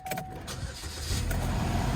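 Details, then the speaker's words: Car with 2.4-litre four-cylinder Ecotec, 142,000 miles, bought at auction: short crank catches straight away and settles into a steady low rumble; starts cleanly and idles fine. "cut this ac off starts up as [ __ ]"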